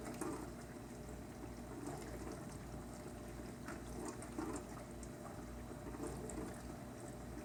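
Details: KitchenAid windowed dishwasher, model KDTM384ESS, 44 dB rating, running a normal wash cycle: quiet steady hum with soft water sloshing and spraying against the tub walls; a tad louder with light loads.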